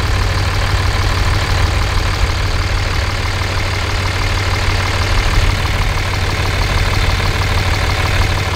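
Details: 5.9 24-valve Cummins diesel, warm, check engine light on from an unplugged CP3 fuel control actuator: loud, unmuffled, even idle clatter with no ticking from any cylinder; manifold temperatures within about 10 degrees, healthy.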